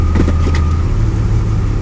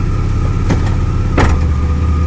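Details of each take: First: 2002 Chevrolet Blazer that clanks and jerks when shifting into or out of reverse and has leaked gear oil: engine holds steady idle through the shift into park with no clunk from the driveline; this shift sounds normal. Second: 2002 Chevy Blazer at idle, shifting from park into reverse and from reverse into drive: steady idle broken by heavy clunks as the car jerks. Gear oil leaked and drivetrain vibration is present; cause unclear.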